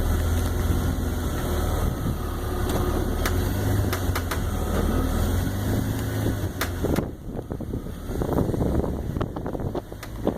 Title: 2002 330Ci - cracking/popping noises